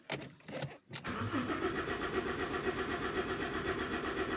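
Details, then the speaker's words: Common rail diesel (demo on a Multijet-type engine) with air mass sensor reading near zero; clicks then steady even cranking that never fires: crank no start from missing airflow signal. "you switch off and on your engine and now it does not start which of the parameters is wrong"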